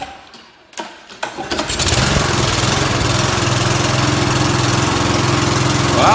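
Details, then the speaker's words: Briggs & Stratton lawn mower after a light carburetor clean, having acted up before: pulls, catches and settles into a steady, even buzz at constant speed with no surging or stumbling; fixed. "it works it fixed it so I didn't just clean up a little bit"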